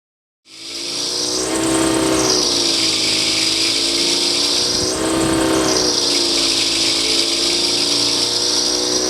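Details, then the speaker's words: DeWalt 60-gallon air compressor under a year old, after replacing failed start capacitor (rated 243–292 µF, read infinite): motor drone rises and sags about every 3.5 seconds as tank pressure builds, surging and labouring; check valve stuck open possible cause. "swapped it out put it in there and now it does work like i said just not well it just kind of surges as the pressure in the tank increases and it doesn't sound very well"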